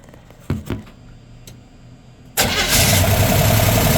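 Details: 1977 GMC Sierra Grande, small-block Chevy 350 V8, after valve adjustment with valve covers refitted and a vacuum gauge fitted: brief crank, then it catches and settles into a steady, even idle with no ticking or stumble. Idle is normal.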